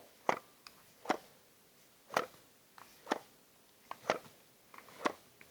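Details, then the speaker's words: Camera or lens switched off and shaken gives sharp little clattering rattles about once a second from the free-floating image-stabilizer element or sensor; normal, and the rattle stops once the camera is turned on. "that's just that's just a floating element and I'll tell you what that's that's normal so we've got that rattle right"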